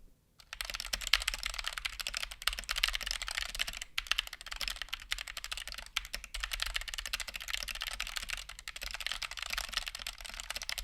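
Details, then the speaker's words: Stock, unmodified Punkston TH61 keyboard with optical switches, fast typing test: sharp, slightly rattly almost-clicky keystrokes; attributed to significant switch wobble in the plate, whether switch or plate fault unknown. "I’ve definitely heard optical switches that sounded way worse. It sounds almost clicky, which is due to the rather significant wobble the switches have in the plate."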